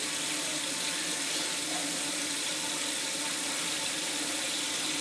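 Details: Toilet tank refilling after repair for phantom flushing: steady, even rush of water with no sputter, hiss or drip; the earlier drip is gone and it fills normally.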